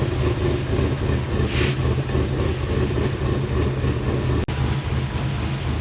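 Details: GQ Patrol with LS engine and 6L80E transmission, idling: lumpy, choppy idle with raspy puffing like a small exhaust leak; butterflies in the exhaust cutout don't completely shut.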